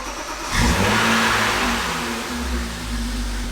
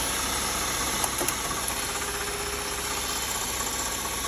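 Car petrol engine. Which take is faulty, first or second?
second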